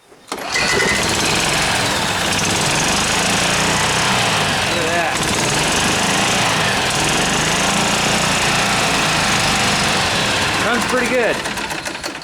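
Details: Club Car golf cart that sat four years in a barn after it quit running, restarted after water was worked out of the system: the small engine fires and settles into a steady, even drone with no misses. Normal running.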